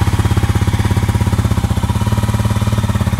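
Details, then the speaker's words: Honda CRF250L with 305 big bore kit, first startup after shop work: quick even single-cylinder thump at idle, steady beat with no rattle or tapping; sounds healthy. "Hey, it's running. Seems to sound pretty good to me. The fact that it's not rattling"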